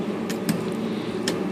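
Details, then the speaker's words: IBM Selectric typewriter after replacing a bad motor, tightening the belt, rebuilding the clutch and fitting a bushing: soft steady hum with only light clicks, no grinding or labouring; motor running smooth and healthy. "since I already rebuilt the clutch and put a bushing in here this should be out ready to go"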